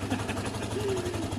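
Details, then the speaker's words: Lexmoto Diablo 125 just started after work on it, warming up: a low, steady, even thump at idle with no misses or rattles. A nice running engine, normal idle. "it needs a minute to warm up anyway that's a nice running engine at this stage though we'll give it a minute to warm up guys"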